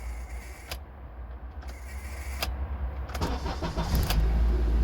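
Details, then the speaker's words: 2004 Honda Element with failing ignition switch: turning the key gives a buzzing relay-like chatter from inside the steering column instead of starting; after repeated attempts it cranks unevenly, catches and settles to idle. Before ignition switch replacement. "put the key in it just makes that buzzing sound and they'll do it over and over"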